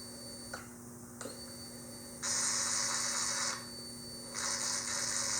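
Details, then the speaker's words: Yamaha XV1700 Road Star Warrior in diagnostic mode, code 54 linear control valve test, battery a little low: kill switch off then on, sharp clicks then two long even high electric buzzes about a second each; valve actuating normally. "So you turn the kill switch off then back on, and you will hear your linear control valve 3 times actuate."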